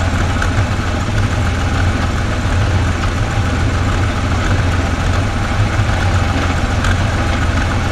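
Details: 1969 Ford Falcon, first start after sitting for years, with a fuel pump fitted: steady, even low rumble with no knocks, misses or ticks; idles smoothly and sounds healthy.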